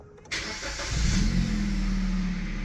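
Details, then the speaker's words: Kia Cee'd auction car, 97,000 miles: starter catches within a moment and settles into a steady even idle with no knocks or misses; starts and drives fine, engine healthy. "starts and drives absolutely fine the engine sounds healthy there's certainly nothing wrong with that"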